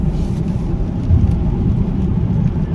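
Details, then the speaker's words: Vauxhall Insignia diesel under load on the motorway in fifth gear at 70 mph, after fixing a leaking valve that had one loose bolt. Steady deep drone with road rumble and no knocks or whistles. It was sluggish before; now it is boosting correctly with no service light. "I'm now on the motorway and the car is pulling absolutely lovely the car's pull in absolutely wonderful"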